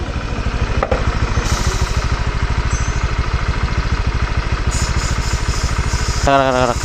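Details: A fast, steady clattering knock, about three beats a second, over the idle of a Honda Vario scooter after revving. The scooter also leaks oil. Engine knocking, before the CVT was opened to check whether it comes from the engine or the CVT.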